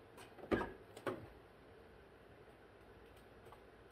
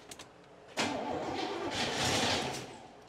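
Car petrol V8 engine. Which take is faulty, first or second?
second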